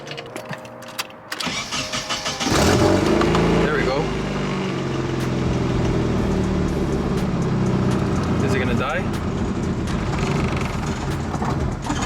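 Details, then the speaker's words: Nissan 240SX S13, about 30 years old, before the fuel pump and sending unit replacement: cranks, catches, then settles into an uneven, wavering idle near stalling that recovers with throttle; owner suspects a fuel issue. "that sounds like a fuel issue huh because it comes back to life as soon as i give it gas"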